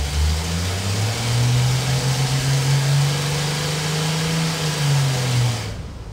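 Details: Worn Ford 300 inline six, run on the dyno after 20 years unused, making a loaded pull from 1200 to 3000 rpm: steady low drone that rises slightly, then eases off, with no knock or misfire. Made 224 lb-ft and 82 hp.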